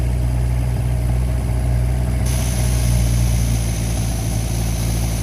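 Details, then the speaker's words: 1952 Singer 4AD Roadster first start after sitting: steady low idle with a slightly uneven loping beat, no knocks, a little smoke; owner thinks the chokes are stuck on, not confirmed; 40 psi oil pressure. "little smoke coming out the... I think the chokes are stuck on."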